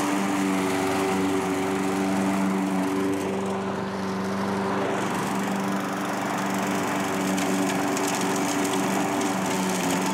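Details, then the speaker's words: Curb-found self-propelled Craftsman mower after carburetor cleaning and reinstall; steady, even drone with smooth engine note under cutting load and no surging or hunting: normal running. "runs along better it actually does an okay job cutting some of this stuff too"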